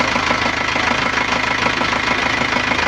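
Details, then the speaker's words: Nissan Panther diesel after a rebuild with NPR liners and original piston rings: an even idle clatter about three beats a second, the engine cool to the touch and sounding smooth, with slight shaking blamed on a weak engine mounting. Normal idle. "Alhamdulillah untuk suara mesin oke, adem, halus."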